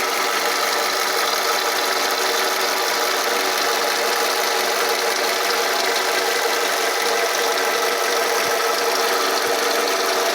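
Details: 2005 Toyota RAV4 after running about ten minutes: steady idle with a fast, dry ticking rattle throughout and no speed change; moving the camera around didn't locate the source, cause unknown.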